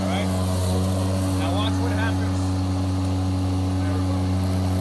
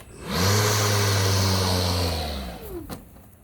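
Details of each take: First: Milwaukee cordless electric lawn mower that otherwise shuts off seconds after start, here with the switch held by a clamp for constant pressure as a temporary fix: steady, even motor hum at one pitch, no cutting out or surging; normal running. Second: Milwaukee cordless electric lawn mower, new unit, off the grass, switch held: spins up to a steady hum, holds about two seconds, then winds down and stops on its own despite the handle being held; motor cutting out after start, cause unknown.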